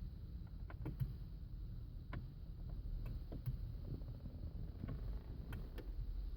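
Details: 2007 Land Rover Freelander 2 won't start: pressing Start with key in gives only a few sharp irregular clicks from the passenger side, no cranking, steering locked; starter never engages, cause unknown.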